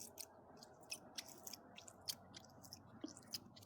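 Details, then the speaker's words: New front shock from an HPI Savage 25 RC car, springs removed, stroked by hand: short squishy squeaks with each stroke from air trapped in the oil; the shock needs bleeding. "the squeaky nuts there's air in the shock so this one can be bled"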